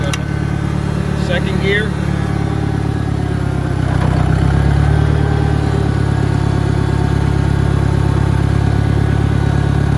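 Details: 1963 John Deere 1010 with Stanley muffler, original and properly maintained, 1,000 rpm, on a backyard lap, needs valve seals; steady low drone with an even mild gear whine, no knocks or grinding. Normal transmission noise.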